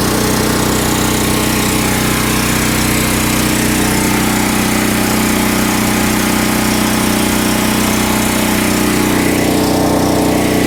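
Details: Westinghouse 7000W (8500W peak) generator, about 10 years old, converted to propane with a US Carburetion motor snorkel kit and run from an underground 500-gallon tank. Steady, even engine drone holding constant speed with no hunting, knocking or surging; running healthy.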